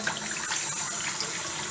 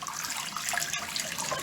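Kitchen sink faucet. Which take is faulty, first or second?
first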